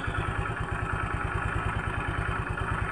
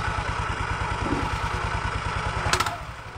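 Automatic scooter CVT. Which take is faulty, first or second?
second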